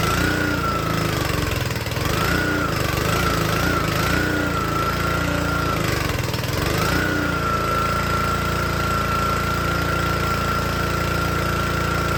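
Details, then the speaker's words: Troy-Bilt log splitter with small Honda engine driving the hydraulic pump; air filter looked water-damaged and was removed. Steady single-cylinder drone runs fine unloaded, then sags twice in pitch and recovers when the splitter is loaded; engine bogs and wants to die under load. "Alright, this little engine runs great. And then, as you can hear, as soon as you put load on it, it wants to die."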